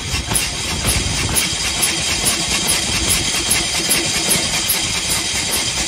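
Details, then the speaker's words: 1901 Curved Dash Oldsmobile single-cylinder engine after about 10 years stored, started without compression release: slow, even chuffing about twice a second with hissy top end, running steadily and healthily. "that's not bad after 10 years"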